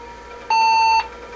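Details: Datatech IBM PC XT clone (8088) with a Sony PS/2 keyboard plugged in: one steady half-second beep at startup, no other tones, POST reporting the keyboard not recognised; caps lock won't light.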